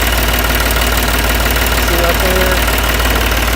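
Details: Ranch diesel tractor with hard starting, started after hammering the starter and solenoid: steady low rumble at even idle, about three firing pulses a second, no misses; running normally.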